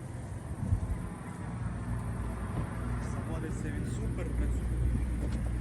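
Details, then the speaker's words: Kia Cerato 2006, 1.6 petrol plus LPG, about 195,000 km, after engine overhaul and head gasket replacement: clean dry engine starts instantly and idles quietly and evenly, low steady hum with no knocks; normal idle. "Мотор чистий, сухий. Після ремонту заводиться з піворота. Працює тихо, рівно."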